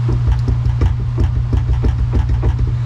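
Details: Argo ATV jacked up in neutral with chains removed, axle spun by hand: steady low drone with light, regular clicking about four or five times a second; wiggle felt at an outer axle bearing, worn and loose, being replaced.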